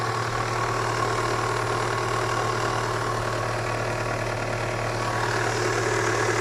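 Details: Cold engine knock on a KIA Spectra 1.6: at cold idle a quick, fairly even tapping, about four knocks a second, rides over the engine's steady drone.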